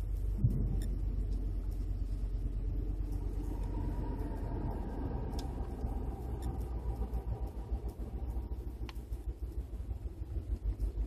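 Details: 2012 Ford F-150 5.0 on cold start: low, uneven idle that lopes, bucks and jerks while the ECU holds ignition timing retarded 9 degrees, with barely any vacuum, for about a minute until timing goes positive.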